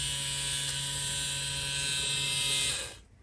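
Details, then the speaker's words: Rebuilt 2023 Aprilia RS660 with ECU set to brake-bleeding mode via diagnostic tool: steady high buzzing whine for about three seconds then clean cutoff as the ABS pump kicks on; ABS pump running normally. "When you actually do it, you hear the ABS pump kick on. And this is what it sounds like."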